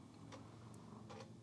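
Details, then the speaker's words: Apple IIe Platinum floppy drive booting Flight Simulator after power supply fix: sharp light ticks of head stepping while reading disk; drive working normally. "We've got life in the drive. You can probably hear it. It's ticking along."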